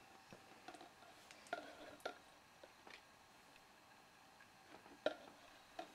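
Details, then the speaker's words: New IBM DJSA-210 10 GB hard drive in an NEC Versa 6230 laptop, replacing a Hitachi Travelstar with pending sectors, working while an image is cloned onto it; faint irregular ticks and clicks as heads seek, normal operation. "I'm going to clone it continue cuz I don't care we can hear it working this shouldn't take too long"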